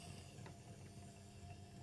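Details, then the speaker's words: Hornby Railroad J83 model locomotive at 50% throttle, slowly warming up after creeping and stopping dead: low, uneven hum with light rattling, sounding laboured; sluggish running, cause unconfirmed. "I suppose it is slowly warming up, speeding up. Seems quite laboured though, doesn't it?"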